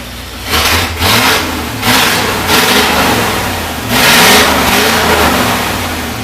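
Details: 1973 International Loadstar Blue Bird bus petrol engine, after an accelerator pump diaphragm replacement, picks up cleanly on several blips and settles back without stumbling or knocking. It previously idled high when warm, likely from a vacuum leak, and now has good oil pressure.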